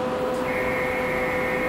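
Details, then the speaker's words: CNC mill conversion: the Z-axis servo motor jogged back and forth at 10% feed rate in continuous mode gives a steady high whine with a second, higher tone joining in; smooth, even and healthy, after earlier servo runaway problems. "you can hear it there's the z-axis motor I can move it back and forth now"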